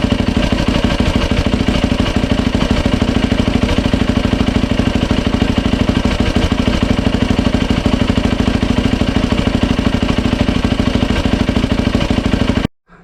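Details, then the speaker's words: 2007 Yamaha YFZ 450 single after top and lower end rebuild, new water pump seals and impeller shaft fitted to fix a coolant leak at the pump hose; steady, even idle thumping about three beats a second, no knocks or rattles. No leaks, running healthy. "No leaks, she runs. I'm gonna go ahead and start putting her back together."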